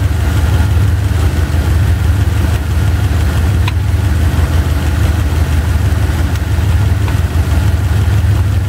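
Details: Chevy 350 small-block V8, driver's side valve cover off, running at idle during valve lash adjustment: steady idle with light irregular clacking from a loose rocker being set with quarter/half turns; engine fairly quiet after adjustment.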